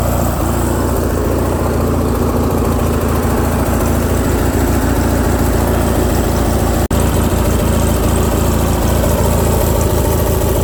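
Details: Craftsman lawn tractor, Briggs & Stratton opposed twin, after carburetor repair for surging, choke on, throttle halfway: twin idles fast and steady with even low beat, no hunting or surging; fix worked, idle screw may need backing off.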